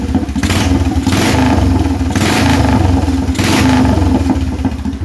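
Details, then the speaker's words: Restored Royal Enfield Bullet 350 without a silencer, timing not yet set: loud open-pipe single barks cleanly through repeated throttle blips and settles back without stumble. Full throttle response, healthy idle. "It's got full response at the throttle. Idle's nice. I love that sound."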